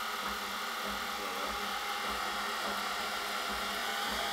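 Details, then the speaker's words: Brush-type washing machine motor after speed encoder magnet ring fix with new bearing, aluminium piece and stainless bolt; steady even whir with faint rhythmic tick, running proper speed steps, no scraping; normal motor run. "Sounds alright to me."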